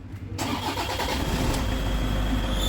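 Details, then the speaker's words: 2009 Toyota Innova diesel, started with clutch pedal pressed: rough running with a thin metallic whine rising; failed clutch release bearing, balls worn out, risk of breakdown. "കണ്ടോ clutch ഇപ്പോ ചവിട്ടിയിരിക്കുകയാണ് ഭയങ്കരമായിട്ടുള്ള noise ആണ് സംഭവം നമ്മൾ check ചെയ്തു നോക്കിയപ്പോൾ ഇതിന്റെ release bearing പോയതാണ്"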